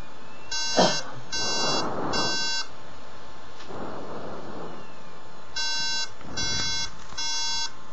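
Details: MacBook at startup repeats groups of three high, even beeps separated by a pause and fails to boot into the OS; the meaning of the beep code is unknown.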